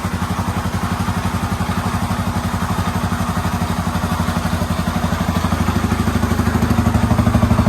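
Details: Yamaha Raptor 350 quad after top-end rebuild, first start, fed from a battery, Chinese carburetor; even single-cylinder thumps about three per second, no knock or rattle, healthy idle.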